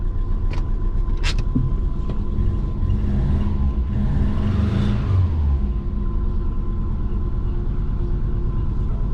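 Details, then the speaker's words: Twin-turbo Subaru Forester after re-flash while tuning 1300 injectors, smoky on first move: lumpy, uneven chuffing idle that keeps missing its rhythm, feels like running on three cylinders; injector issue suspected, not confirmed. "yeah it doesn't feel right feels like it's definitely on three cylinders"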